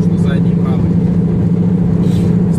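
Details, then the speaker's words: 2006 Hyundai Sonata 2.7 GLS manual at highway speed: a steady low droning hum under road noise from a worn rear wheel hub bearing. It was barely audible in the pre-purchase test drive and needs replacing. "ступичный подшипник очень сильно на скорости вот я думал когда мы тестировали машину проверяли перед покупкой не сильно было слышно когда разе уже по трассе там реально слышно что"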